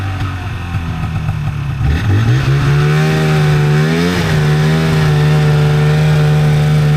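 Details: 1997 Polaris Indy Trail Touring two-stroke snowmobile, resurrected with carbs cleaned and oil pump bled, stock clutching, test ridden on a lawn without snow: drone climbs smoothly in pitch pulling away, then holds a steady even note; normal running under load.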